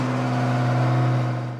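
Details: Loud, steady low hum with a harsh buzzing edge that dies as it stops, from a kitchen garbage disposal over 15 years old, before replacement; noisy, worn disposal.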